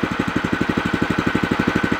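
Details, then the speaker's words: New O'Mac MC700 single-cylinder tiller at first start, briefly warmed, throttle at minimum: even, quick putter about twelve beats a second, steady, quiet, nothing knocking; healthy idle. "nu Ăsta este relantiul merge frumos silențios frumos"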